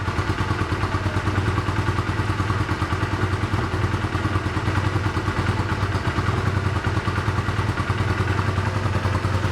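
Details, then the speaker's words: 1985 Honda Rebel with 2000 miles, first start after 17 years in storage, cold on choke: uneven, lumpy fast-idle putter that won't take revs; rough running on choke, smoking heavily once warm before clearing. "Okay, we're gonna let it run for a while because I can't even rev it now, but let it warm up and we'll see."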